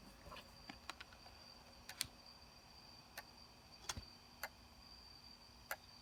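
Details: Sony D-90 Discman, just received: quiet running with sharp irregular clicks every half second to second over a faint hiss; cause unclear.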